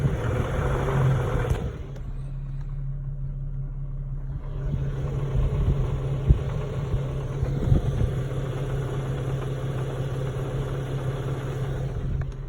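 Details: 2011 Infiniti G37x in park: rough idle with loose, uneven rattling from the engine bay over a low drone, swelling when the gas is pressed; source not yet found.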